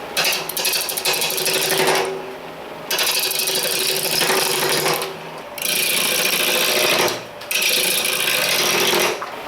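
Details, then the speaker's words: Powermatic 2014 wood lathe at 800 rpm, rough turning, after stuffing styrofoam into the thin sheet-metal leg stand: cutting chatter over a steady spin with no hollow tinny ringing from the stand; normal running without stand resonance. "that's a big difference before when i was over here doing rough you'd hear the"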